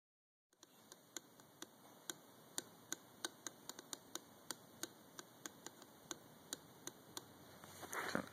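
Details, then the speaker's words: Gen3 3S-GTE axle carrier bearing, removed: its outer race moves against the inner race, giving sharp dry clicks about three a second over faint hiss; owner believes the resulting vibration is triggering the knock sensor. "axle bearing the carrier bearing yeah I got the carrier off of it but the OU race is moving from the inner race creating vibration which I believe is making my knock sensor"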